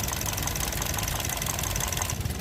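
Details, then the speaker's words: Toyota Vios 2NZ-FE petrol engine after replacing a burnt-out ignition coil pack: steady, quiet idle with even low hum, light regular valve ticking, less vibration and no stumbling. "yan after natin na mapalitan ung ignition coil pack na pundi Ayan na maganda na ung Menor niya tahimik na tahimik na at saka hindi na masyadong malakas ang vibration hindi na bumabagsak ung Menor niya"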